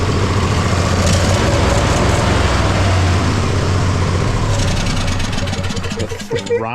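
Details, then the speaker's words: Poulan mud mower V-twin, misfire fixed after a slipping torque bit had left a fastener loose and it was properly tightened: even, steady idle, clean quick rise in pitch on throttle with no stumbling; better throttle response, starts instantly. "So, now that I got that settled away, uh this thing sounds like better than when I first got this mower. Like this is this is awesome."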